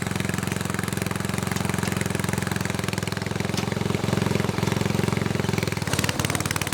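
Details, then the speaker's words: Snowflite snowblower single-cylinder engine, donated and well kept, started outdoors in cold on fresh gas, oil slightly low. Even, rapid putter around three beats a second, steady without stumbles. Running smoothly. "awesome so that thing runs good it makes me happy"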